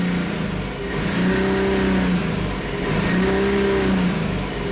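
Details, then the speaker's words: Hyundai Sonata with code P0335 and intermittent hesitation on acceleration: revs climb then sag back twice without building, a lazy rise-and-fall drone, engine falling on its face; crankshaft position sensor signal fault. "so the engine i mean the rpm gauge is supposed to go higher than this but as you can as you can see it's falling on its face and i can really uh hear that it sounds really bad"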